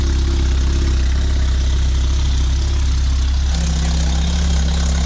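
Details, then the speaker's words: 2005 Lotus Elise, Weapon-R header only mocked up with no gasket, O2 sensor holes open, nothing bolted: loud raw idle with rapid ragged puffing and a deep throaty drone; exhaust leaking at the header. "we'd like to start it just to see what it sounds like we got this to hold you can hear you know there's no gasket on it"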